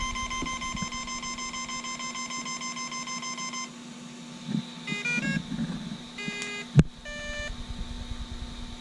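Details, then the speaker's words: GoolRC 3500KV brushless motor with 60 A ESC in a 1:12 Deerc 9200e RC car, remote on, ESC failing to calibrate or work with programming card; repeated quick obnoxious fast high beeps over faint hum; ESC calibration beeping. "do you hear it everybody's getting this beeping right obnoxious fast red beep"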